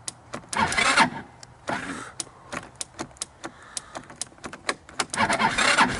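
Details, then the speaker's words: 2014 Linhai Big Horn 400 UTV cranked without choke after new spark plug and wiring a portable CDI ignition: cranking bursts with a brief catch that dies away; owner suspects lost spark; crank with brief firing, no start. "seems like I had something and then it uh I lost it"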